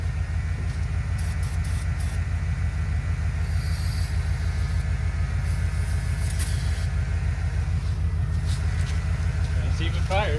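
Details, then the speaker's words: 1978 Ford F-150 plow truck, sat about a year, being helped by another running truck: slow, laboured cranking at about three turns a second that never catches; owner suspects the battery is shot; slow cranking, no start. "there does not seem to be a whole lot of cranking power we're going to try"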